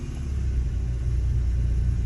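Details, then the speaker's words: 2010 Ford Escape 2.5L idling in gear right after front engine mount replacement: deep, steady, smooth rumble with no thumps or shudder. Vibration is noticeably reduced compared with the failed hydraulic mount. "and I will say there's a, so far definitely a noticeable difference in the vibration of the whole vehicle. Doesn't seem to be vibrating like it"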